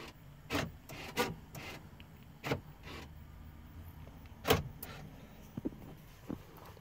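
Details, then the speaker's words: 2004 Chevrolet Tahoe after programming replacement keyless entry fobs: quiet background with separate sharp clunks a second or two apart as the door locks lock and unlock normally by remote. "just to prove to you guys that it works he's open unlock open unlock lock unlock unlock"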